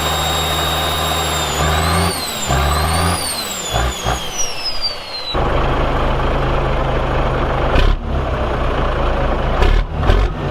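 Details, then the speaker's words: Caterpillar 1693 diesel in a 1977 Peterbilt 359 toterhome, fully warmed up: it revs up and down smoothly, pitch tracking the throttle, then settles to an even idle. Normal revving. "At this point, when this clip starts, the engine has ran for a while and is actually up to temperature, and when I start it up, I wrap it out, and I just wanted to make a point that the engine has been warmed up."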